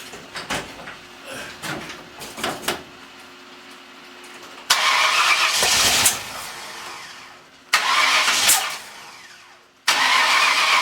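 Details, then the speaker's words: Freshly installed 302 engine with new cam: three short bursts of cranking with no firing between them; owner suspects ignition timing off, possibly 180 degrees out, later rotates plug wires one hole counterclockwise. "Well, it's on fire. It's either off or I'm 180 off."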